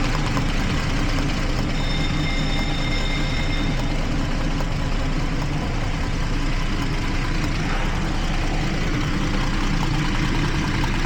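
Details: 2012 Jeep Liberty 3.5 L V6 with cylinder 1 and 5 misfires from water-exposed weak secondary ignition: long steady smooth idle on all cylinders at this moment, no stumbles.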